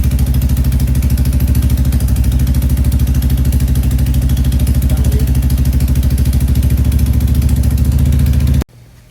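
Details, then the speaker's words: Royal Enfield Classic 350 Reborn, first startup after a 410 big bore kit install: fast, even single-cylinder idle with a sharp puffing tick on each firing pulse from an exhaust leak at the header. "right, so in the startup, we realized we have a little bit of an exhaust leak at the header."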